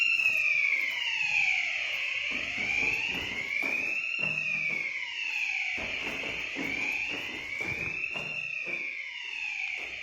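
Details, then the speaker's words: Ravel fire alarm system: loud high whooping tone rising and falling about every two seconds, sounding continuously during a retest of the system. "जो अभी अलार्म की आवाज़ आ रही है। ये मैंने रीटेस्टिंग करा था ना इसकी।"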